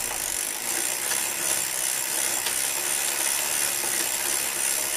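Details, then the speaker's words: New Shimano Sora R3000 rear derailleur after cleaning: chain whirring with a faint repeating high squeak from dry pulley wheels, still present after Brunox spray; crankset ruled out, more lubricant needed. "The squeaking is still there, which means more lubricant."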